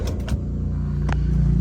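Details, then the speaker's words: Toyota Vios that stalled while driving, fuel in tank, cranked after about a minute: starter cranks evenly but engine won't catch; presumed failed fuel pump, PSI fuse checked intact. "ไม่ติดแล้วนะฮะคันนี้สันนิษฐานเบื้องต้นอาการนี้ปั๊มติ๊กนะฮะปั๊มติ๊กพังแน่นอนนะครับ"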